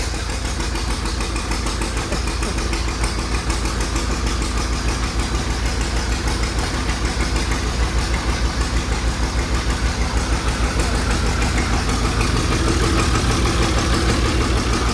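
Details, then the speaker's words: Allis Chalmers D17 Series One after a fuel pump install, cranked with ether: steady, even cranking about three turns a second that never fires or catches; owner suspects low compression. "Is it hitting on the ether? I don't know. It ain't heating on. Huh? It actually just got low compression. Crank it again."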